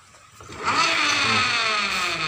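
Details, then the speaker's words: Honda Beat Pop scooter on its stand, revving with a harsh, gritty whine from the CVT final reduction gears, bad going forward and backward and rougher as revs rise; worn gears despite the shaft gear and 16-tooth gear already being replaced. "ada suara ashar di daerah tadi gigi CPT ketika jalan ke depan kalau ke belakang juga parah banget ini"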